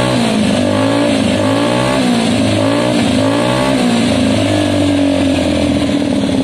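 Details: Gilera DNA 125 scooter after a carb upgrade to a metal-slide model, air-fuel screw not yet adjusted: quick, crisp blips rise and fall cleanly without stumble or pop. It revs smoothly and healthily.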